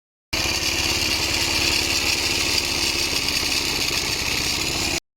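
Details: Motorcycle engine running with a harsh, rattly growl over its beat; magnet cover off, armature fine, a starter one-way clutch roller intermittently sticking, broken roller.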